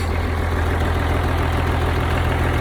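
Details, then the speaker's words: 1971 M35A2 turbo deuce-and-a-half diesel after fuel pump pickup tube repair, new air filters: deep steady idle with even low rumble, no misses or knocks; runs good. "can hear it for yourself runs pretty good"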